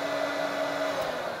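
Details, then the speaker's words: Hoover Turbopower Freedom upright vacuum found at the tip, first test on low (position one); steady even motor hum, constant pitch, no rattles or surging; blew out dust at start-up, motor runs fine. "it runs bad nothing wrong with that"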